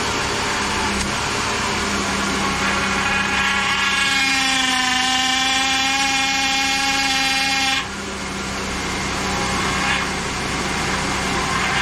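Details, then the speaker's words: 2010 Chevrolet Impala, 3800 V6, engine running after power steering pump replacement: rising, wavering pump whine and hiss as the wheel is turned while bleeding; air in system, keep bleeding until quiet and fluid foam-free. "just keep bleeding it until it finally quietens down and you don't see a bunch of foam in your power steering [Applause] pump"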